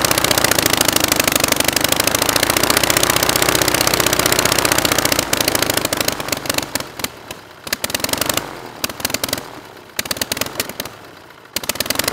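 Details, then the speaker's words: Rebuilt Praga B2 aero engine, last run 1939, on homemade Vauxhall-mounted rig with homemade propeller: steady rapid firing that slows, stumbles and drops out in patches as the idle mixture is adjusted, running much slower and vibrating more. "Right at the end there, I was adjusting the idle mixture. That's why it was running much slower and probably vibrating a bit more."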